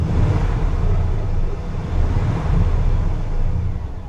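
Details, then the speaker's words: $850 1998 Chevy Silverado, parked for years and revived, hose still to be properly repaired: steady even low idle rumble with no knocking or ticking, runs great, engine sounds healthy. "runs great absolutely solid old truck man I'm happy with my purchase"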